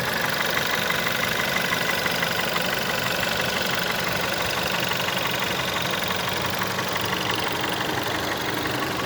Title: VW 1.4 TSI 2009 CAVD - engine loud knocking clicking noise on idle and low revs